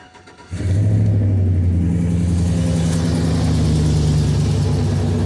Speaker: Go ahead and give her that cold start, huh? See what it sounds like.